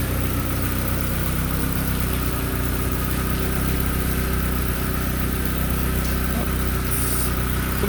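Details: 1997 Mazda Miata, first startup right after an MK turbo kit install, running for a few minutes: steady, even low idle with an unbroken rhythm and no knocks or misses. Some smoke is seen, which the owner hopes is oily fingerprints burning off. Normal idle.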